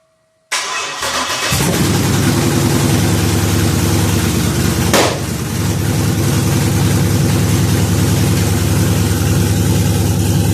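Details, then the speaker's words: 1966 F100 on a 2008 Crown Vic chassis, LS-swapped V8, after fitting a newly ordered flash computer to fix an anti-theft lockout: a brief crank, an instant catch and a strong, steady, slightly lumpy idle. A normal start and idle. "and ordered another flash computer, brought it home, unbolted two bolts, plugged it in, and guess what? You guessed it. It fired right up."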